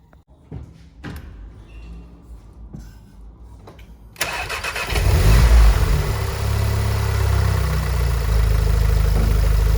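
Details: VW Golf 7R with Racingline stage 3 IS38 hybrid turbo, VIS HPFP and decat exhaust, first start after turbo swap and coolant bleed: a few clicks, then it catches at once and settles into a steady, even idle with no knocks, misses or whine.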